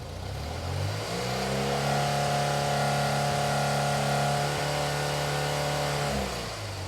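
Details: BMW R65 twin after deleting the secondary air system, replacing the air filter and synchronizing the carbs, warm, idling about 1,000 rpm: settles into a smooth, steady raised rev, holds evenly, drops back cleanly; carbs balanced, normal revving.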